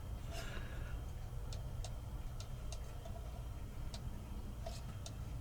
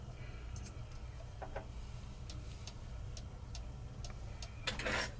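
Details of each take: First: Modern 30-hour cuckoo clock with brand-new replacement movement on a test stand, after bending the crutch to adjust beat: crisp, evenly spaced ticks with equal tick-tock gaps; clock now running in beat. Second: Modern 30-hour cuckoo clock with brand-new replacement movement, on a test stand with weights and pendulum fitted: quiet ticking with uneven gaps between tick and tock; slightly out of beat, corrected by bending the crutch.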